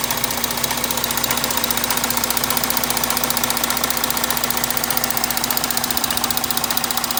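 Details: Audi 3.0 TDI diesel idling: a sharp, even ticking clatter about a hundred a minute over a high hiss; abnormal engine noise, source not evident.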